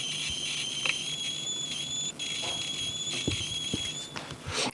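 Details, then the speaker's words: WEI portable lithium power supply, switched off and unplugged after charging, emits a steady piercing high-pitched squeal with faint clicks from the unit; worrying fault noise, unexplained. "it's like this kind of really high-pitched squealing sound now it's not on charge at the moment it's not switched on but yeah it's it's just making this really worrying sound"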